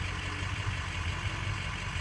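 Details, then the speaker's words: Ford 6.0 diesel at idle after fitting a new ICP sensor: even low clatter, no surging or misses; IPR averaging about 24%, normal idle. "Let's see what the percentage IPR works at now with the new sensor in it. Let it stabilize. And that's normally what we see. 24 is the average."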